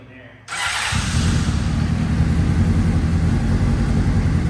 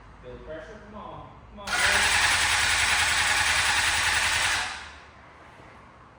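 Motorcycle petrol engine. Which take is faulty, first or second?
second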